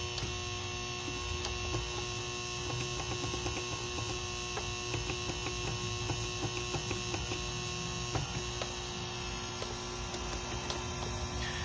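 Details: Secondhand Rain Bird sprinkler controller on mains: steady hum ringing continuously with faint ticking, the sound seeming to come from the transformer, though the display still works; electrical hum, cause unconfirmed.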